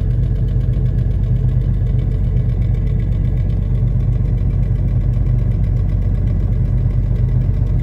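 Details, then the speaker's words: Jeep Cherokee 4.0 cold-start idle with a steady fast tick, about four a second, over low rumble; owner believes exhaust manifold gasket leak and exhaust rattling, not engine locking. "It almost sounds like the engine's locking, but it's not. It's the exhaust manifold gasket, I believe. And just the exhaust rattling around."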